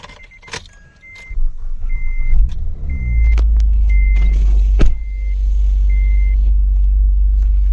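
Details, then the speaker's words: Acura 3G TL Type S with swapped RL engine, after the crankshaft sensor was replaced: door chimes, brief crank, then the V6 fires promptly and holds a smooth, steady idle; no starting issues since the repair. "Hasn't given me any starting issues since I replaced the crankshaft sensor. I've driven it, but let's go."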